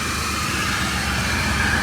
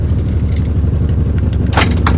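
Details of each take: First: Maruti 800 after workshop silencer repair that fixed a loud rough exhaust noise and vibration: small petrol engine idles steadily with an even, soft exhaust hum and no puffing or blowing; the car now sounds normal. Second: Maruti 800 at idle before silencer repair: harsh loud puffing with uneven low throbbing, raspy bursts and strong vibration felt in the car, noise from underneath; exhaust leak from cracked silencer.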